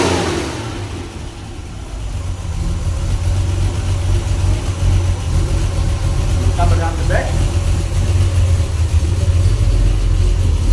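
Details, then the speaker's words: Rebuilt Ford Cortina MK5 3.0 V6 with gas-flowed heads, high-compression pistons, branches and twin exhaust revving: deep throaty note rising and falling cleanly with quick throttle response, no knocks; idle slightly rough. "I'm going to give it a start up now you can hear a nicer sound the idle won't be normal little bit of a rough idle with the balancing have a very nice response on the throttle"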